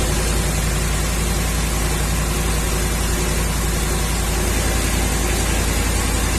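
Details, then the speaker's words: 2011 Ram 1500 5.7 Hemi on a cold start, vacuum gauge on the brake booster hose: lumpy, uneven idle; code P0305 misfire on cylinder 5, later diagnosed as a worn number 5 intake cam lobe. "now I noticed that this thing seems to misfire on a cool start cold start and as you just saw"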